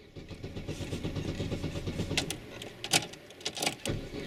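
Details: Opel Corsa B in bad weather, pedal pumped while cranking: steady rapid starter churn, engine turning over evenly but never catching, a few sharp clicks. Cranks but won't start.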